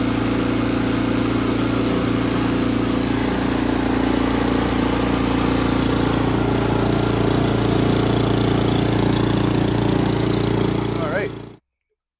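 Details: Ariens Compact 24 snowblower, hard starting from bad gas, after carburetor cleaning and clearing the emulsion tube: steady even high idle set around 3200 rpm, smooth drone until shutoff; runs healthy.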